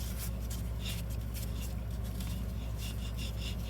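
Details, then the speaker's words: Removed driver-side wheel bearing/hub from a 2014 Chevy Malibu, spun by hand: dry, gritty, uneven rasp and barely spins, so the bearing is worn out; the new replacement hub spins silent and smooth. "So, we'll show you that this thing is definitely bad. It doesn't even spin."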